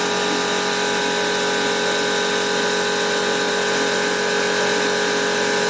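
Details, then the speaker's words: Milling a BSA Fury 350cc DOHC engine casting, machine deliberately run slowly with a cutter of unknown quality: steady, even whirr with no chatter, squeal or grinding, the cutter cutting cleanly. "So I think the next thing will be to switch on the machine, and I've got it running slowly because I don't know how good this cutter is. There we go, and you can see it's cutting okay."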